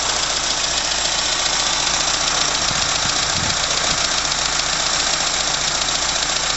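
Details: 1980 Leyland Mini first start after about three months sitting, with battery connected and coolant topped up. Warm, choke off, it has a quiet steady idle under a constant hiss with no knocks or misses; water pump is dripping. Normal idle.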